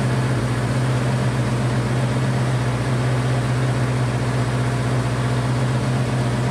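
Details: Honda CB500 four-cylinder, first start after an attempted liquid engine rebuild, choke on, running on all four, smoke expected after a poor compression test: steady fast idle with a dense low drone at a little over 2,000 rpm; idle is high, and low compression is suspected but not confirmed.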